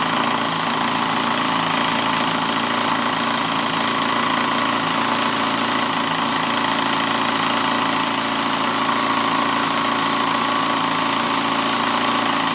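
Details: 2007 Yamaha FZ6 at idle: steady light ticking about four a second, persisting after a manual cam chain tensioner, valve shim adjustment and oil pump chain replacement; a clutch piece wedged between crankshaft and clutch basket gears makes them chatter.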